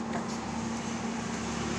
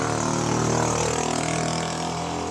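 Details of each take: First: Camel spin dryer that spun slowly and made noise, after repair and reassembly: steady even motor hum with smooth spin, no knocking or rattle, then cuts off; running quietly and healthy. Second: Camel spin dryer that spun slowly and made noise: loud hum under coarse fast rattle; spin basket loose on shaft, not turning with motor properly.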